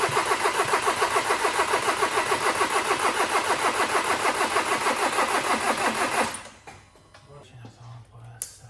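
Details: Seat Leon 1.6 TDI after its missing timing belt was replaced, cranked with the injectors unplugged; steady cranking at about 200 compression beats a minute for six seconds, never catching: engine cranks but won't fire.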